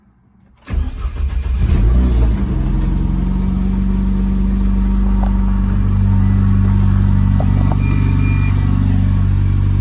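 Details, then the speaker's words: Renault Clio turbo track car, first start after fresh oil and filter with turbo primed: brief crank, engine fires and holds a steady even idle with no misses or knocks, braking fault light still on; starts and runs fine. "Right, as you can see, it runs fine, plenty of lights I saw and everything."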